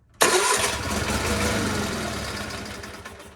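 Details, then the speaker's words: GT/18 engine just fitted with a new ignition system, spark confirmed, started with no choke at low idle after much fuel: it catches abruptly, runs lumpy and irregular, then dies away; rough running after start, cause unclear. "Oh, she's not happy. Why are you mad? I'll die."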